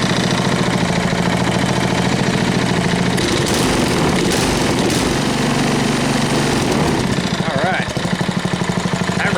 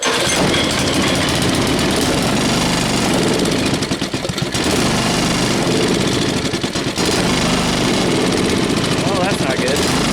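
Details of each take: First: Tiller single-cylinder petrol engine after swapping in a carburetor from another engine, half choke: steady, even idle with no misses or surging; running smoothly after the fix. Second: Tiller engine with a new carburetor, half throttle: rough uneven chugging, sagging and nearly dying twice; fuel starvation from a faulty carburetor suspected.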